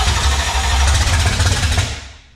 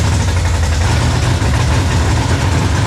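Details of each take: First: 1966 Mustang with a 5.0 302 roller V8, first start attempt: the starter turns the engine over sluggishly with a labored, dragging rhythm before fading; cranking is clearly slow. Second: 1966 Mustang with a 5.0 302 roller V8 on its first start: a steady deep burble holding an even idle after it catches, no misses or knocks; the engine has settled and runs fine.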